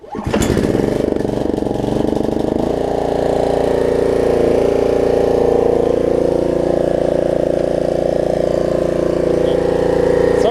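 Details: Snapper rear-engine rider, single-cylinder, after deck belt, throttle cable and carb cleaning: catches and settles into a steady, even beat at idle then full throttle, no misses or surging; running excellent.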